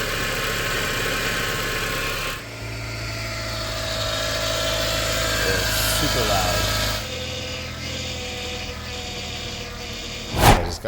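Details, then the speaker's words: 2006 Mazda MX-5 Miata NC, 186k miles, before replacing the power steering pump with an aftermarket one. A loud steady whine sits above the engine note and holds its pitch; the worn, noisy power steering pump. "Alright, so next I am attacking the power steering pump because it's making a lot of noise."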